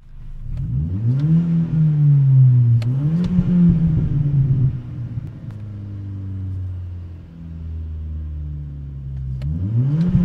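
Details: VW/Audi/Skoda/Seat TDI/FSI engine, only when fully warmed up: revs climb, hit a ceiling, sag and stumble, cuts out with misfire; codes P0321 and 000801, no check engine light; fixed by replacing G28 crankshaft position sensor with Bosch.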